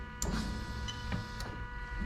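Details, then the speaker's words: 1998-2000 Lexus LS400 1UZ-FE VVT-i engine on a standalone adapted harness, fuel pump activated by active test; relay clicks in, then a steady, even electric hum with no surging or grinding; normal fuel pump operation. "So you can actually hear the relay click in. And you can probably hear the fuel pump working"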